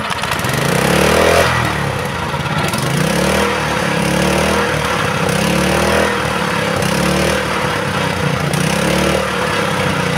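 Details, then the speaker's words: Honda GX160/200 petrol engine, throttle released: stays at fast, slightly hunting revs and never drops to idle, revs rising on their own; governor out of adjustment, engine will not return to idle. "Jadi setelah dihidupkan gejala mesinnya ini kalau kita lepaskan gasnya itu naik sendiri ya, tidak bisa diturunkan gasnya."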